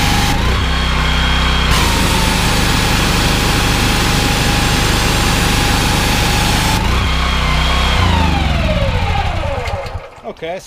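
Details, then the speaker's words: Honda GX390 13 hp engine driving a 21 L/min pressure-washer pump. Steady running until the trigger is pulled, then revs drop and it labors before recovering: engine bogging under load. "can obviously hear the Honda struggling there as soon as you pull it in the trigger the engine speeds you certainly notice a dip in the engine speed"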